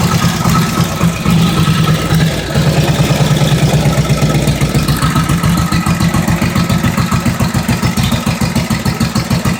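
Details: 1945 Indian Chief V-twin fired up after re-rebuild (new rings, honed cylinders, lapped valves, new head bolt washers, intake manifold and seals): loping idle settling into even steady beats, no knocks or misses; normal idle.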